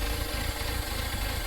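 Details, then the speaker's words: Audi at idle, no check engine light, drives fine in gear: low, uneven lumpy rumble instead of smooth hum; misfire from worn spark plugs. "You guys hear that, like, it sounds like it's like a low rumble, like it's idling weird."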